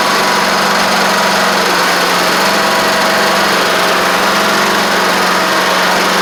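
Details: Troy-Bilt Horse XP riding mower with a new replacement engine, running, driving and cutting after a little trouble cranking. Steady single-cylinder drone with an even hum and no knocks or misses under load; runs normally.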